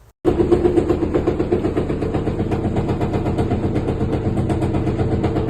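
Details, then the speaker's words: Top-load washer during spin-dry, loud and rough with a rapid rattling knock even after recent suspension rod replacement; one of the four suspension rods vibrates more than normal and was fixed. "สวัสดีครับเดี๋ยววันนี้ผมจะพามาดูเครื่องซักผ้าฝาบนเวลาปั่นหมาดเนี่ยมันเสียงดังมากๆเลยอันนี้เป็นเครื่องของลูกค้าของผมเองนะครับผมเพิ่งเปลี่ยนโช๊คไปให้เขานะแล้วก็มันยังเสียงดังอยู่เป็นเพราะอะไรเดี๋ยวไปดูกันครับ"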